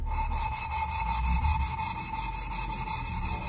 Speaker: at the end the as the compound gets spread out you can't hear it that rough anymore it's very smooth which means it doesn't do much